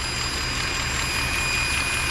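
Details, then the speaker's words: Steady thin hiss with faint whistles over a Mercedes ML63 AMG V8 idle, heard in the engine bay; suspected vacuum leak, possibly a solenoid or intake gasket; valve cover gaskets leaking; engine later stalled. "making that noise with the vacuum leak. Lots and lots of vacuum lines. Probably not a big deal. Not a big deal. It's just annoying noise."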